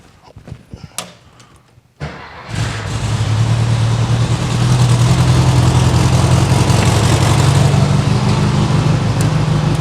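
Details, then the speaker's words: 1968 VW Karmann Ghia flat-four after cleaning dirty ignition points: catches within a second and settles into even, steady idle with no misfire; normal healthy start. "like I said car runs it drives it sounds healthy"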